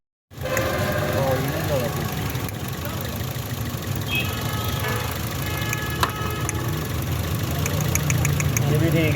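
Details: Toyota GLI engine with misfire and no-start problem, misfire not shown as a warning on the dashboard: steady idle with an uneven, lumpy beat and irregular stumbles instead of an even hum; cylinder misfiring at idle.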